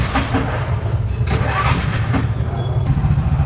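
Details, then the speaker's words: Bajaj auto-rickshaw BS6 CNG engine after injector work, tank cleaning and a wiring joint repair done without a laptop: it catches quickly and settles into an even, low idle with no stumbles or hunting. "ಗಾಡಿ ಸ್ಟಾರ್ಟಿಂಗಲ್ಲಿದೆ, ಐಡ್ಲಿಂಗಲ್ಲಿದೆ, chocolate ಹೋಗ್ತಾ ಇಲ್ಲ."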